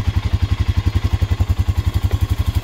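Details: 2004 Honda Rancher 400 4x4 ATV, about 2,500 hours, new battery, charging test at low idle: slow even thumping about ten beats a second, no misses or clatter; healthy idle, charging about 14.46 V.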